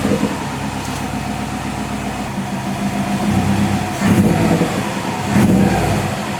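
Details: Subaru STI flat-four, jump-started after sitting four months over winter. It holds a steady, slightly lumpy idle of roughly 500-700 rpm with normal oil pressure, picks up cleanly on two short blips and settles back; it runs healthy.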